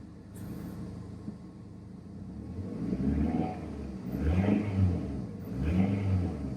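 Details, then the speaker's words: 2002 Toyota Camry, sat over 5 years, running after coil pack wiring harness repair, cold outside: three clean rev rises dropping back smoothly, even low hum, no knocks or misses; healthy engine revving. "Motor sounds great. Smooth. I mean, I can't barely feel it running."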